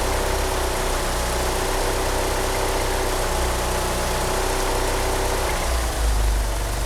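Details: Car fitted with 850cc injectors, at idle: an uneven, lumpy idle with a wavering low beat and a faint chirp from the slipping power steering pump belt. The car also won't rev up. Rough idle.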